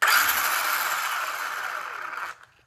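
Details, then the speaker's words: Traxxas Slash RC car after cleaning dirt from the spur gear teeth, rear wheels lifted: smooth high whir with no clicking, then cuts off; normal drivetrain run. "once everything is back on turn your car on lift your back wheels up and make sure there's no clicking"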